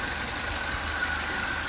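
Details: Citroen C3 HDi diesel that died while driving and wouldn't start, repaired crankshaft position sensor (CKP) fault from a cut wire: steady idle, even low clatter with no stumbles or misses; tensioner still needs replacing.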